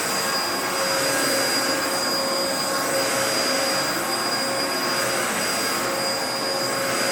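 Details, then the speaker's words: 2004 Dyson DC14 Animal vacuum, repaired, first run after fitting a new HEPA filter; steady high-pitched whir with even airflow and faint constant tone, no rattles or dropouts; running normally. "I fixed it up and it works pretty well so you know why don't we take it for a bit of a test run and we'll see how it runs this is the first time I've ran it since I put in the HEPA filter so let's see how it goes"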